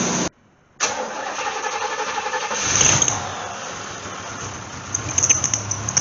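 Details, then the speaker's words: AMC 290 V8 in a Gremlin starting up: starter whirs, engine catches and settles into a rough idle with a few revs. It smokes on startup; owner suspects valve seals, or possibly excessive valve stem-to-guide clearance. "if it smokes on Startup but clears up chances are is valve stems you know valve seals and very likely so"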